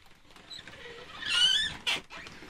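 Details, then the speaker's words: Folding accordion door in a bus camper conversion slides with a high, wavering squeak from dry friction in its rail; to be fixed with silicone in the rail. "entendez le grincement un bon bien sûr ça va disparaître je vais mettre du silicone dans le dans le rail"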